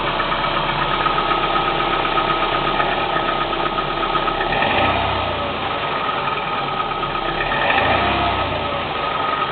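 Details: Cold Kia Spectra 1.6 four-cylinder revved twice: light, uneven knocking that rises with revs; engine knock when cold, cause unknown.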